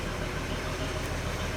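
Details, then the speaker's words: 1941 Chevy on rebuilt Carter W-1 carburetor, cold engine; even steady low idle, no misses or knocks, a little smoky but running better than before: normal cold idle. "But yeah, it's a little smoky, but actually sounds like it's running a little better than it was before."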